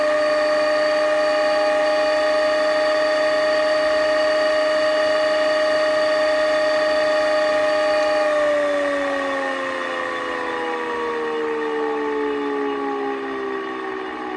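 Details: Pfeiffer TMU-1001P turbomolecular pump: steady, piercing whine with ringing overtones, then sliding down in pitch as the rotor slows; bad bearing suspected, not confirmed.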